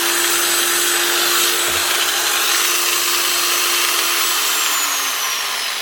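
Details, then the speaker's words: Old variable-speed 110 V angle grinder: steady, fairly low motor whine with no speed-up or load change, only reaching about half speed; a wrong plug was ruled out, and the speed controller is suspected. "actually SS Le she only running half speed no thought I might have been 240 volt machine and they just put a 110 volt plug on it but it is 110"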